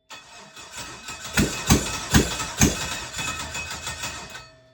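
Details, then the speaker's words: LS-swapped Mazda RX-7: starter churns at a slow uneven beat, then four hard catches fire and fade on carb cleaner sprayed in the throttle with fuel pump on; injectors apparently not delivering, suspected missing pedal or mass airflow sensor. "dumping fuel inside the cylinders definitely gets it to run. Definitely fired."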